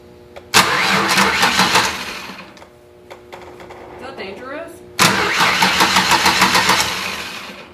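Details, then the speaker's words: 2002 Ford Ranger that won't start, starter bridged via the excite wire: starter spins the engine at a steady rhythm in two long tries but it never catches; motor turns over, suspect immobilizer. "Okay, we know the motor turns over."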